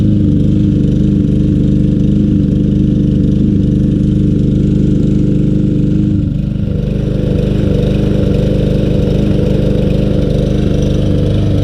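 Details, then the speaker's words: Troy-Bilt TB200 self-propelled mower, Briggs & Stratton 625EX 150cc, long stored; running after tapping the carburetor, old gas, float possibly stuck. Engine chugs unevenly at about two pulses a second, surging and sagging; rough running, cause unconfirmed. "not running the best in the world let's keep adding a little persuasion to this"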